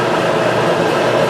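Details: Kenmore electric dryer after replacing the seized motor with a new one, back panel off: steady even hum and soft drum rumble, belt straight, no knocking, squeal or scraping; normal dryer tumbling.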